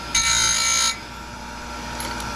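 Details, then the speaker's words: Chain grinder without hydraulic clamp, worn: when the tooth isn't held down with the stopper and thumb, the loose tooth chatters against the wheel, a harsh hissy grinding burst over steady motor hum, which damages the wheel. "You hear it chatters? That'll mess your wheel up, and you don't want that."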